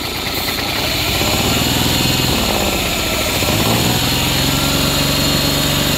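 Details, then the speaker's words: Honda 40 hp outboard running poorly: loud chugging that revs up when carb cleaner is sprayed into the intake, showing a carburetor problem rather than a spark or ignition fault; carbs to be pulled and cleaned. "okay yeah it's running up I definitely have a carburetor problem so there you go that's an easy way to tell if you got a carburetor problem or if you have a problem with your spark"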